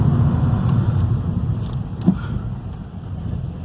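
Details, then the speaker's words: 2012 Ford Focus, 145 hp Duratec engine with Bosch injection, road test after fitting original harmonic pulley/damper and tensioner and a new pulley bolt with threadlocker: the earlier rubber-slipping noise under acceleration is gone, with a steady, even drone and no knocking, rattling or chirping. "Agora a gente tá fazendo teste de rodagem aqui, parou todo o barulho, o carro tá normal, tá? Perfeito."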